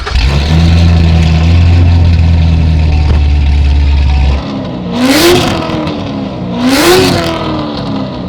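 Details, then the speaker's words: 2017 Chevrolet Corvette C7 Z06, 1000HP build on factory 1.7L supercharger, with camshaft, 8-speed automatic, running 57% ethanol, exhaust open: loud lumpy V8 idle then two sharp revs with supercharger whine rising and falling with engine speed. Healthy. "sounds so good. The 1.7 liter supercharger really whines when we board it like this."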